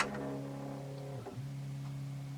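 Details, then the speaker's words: Philips BEP2700 Blu-ray player that won't eject: faint motor hum that sags, stumbles and picks back up, then a clunk and it stops without the tray moving; worn, slipping loading belt. "And yeah, I can hear the motor going and makes a bit of a clunk noise and stops."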